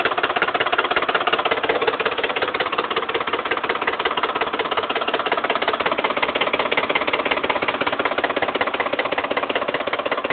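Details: 2008 Ford F-150 5.4 V8 at idle: quick steady ticking knock two to three a second, seeming from the whole engine, disappearing when revved; owner unsure if oil pump or timing fault.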